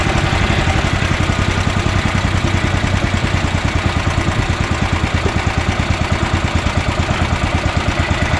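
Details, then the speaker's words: Honda GX340 single-cylinder engine repowering an EZGO Workhorse utility golf cart, freshly started after kill switch install: low, even thumping idle with no misses or knocks; idle set pretty low but belt still engaging. Normal idle. "and that's pretty low idle you know that's pretty good idle idler very good actually but it's still engaging the belt"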